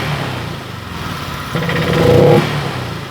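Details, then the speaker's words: Honda Vario 125 scooter at start-up: on throttle the engine climbs slowly and heavily, then falls back. Pickup feels very heavy and response is gone at initial throttle. "terasa berat banget responsifnya habis"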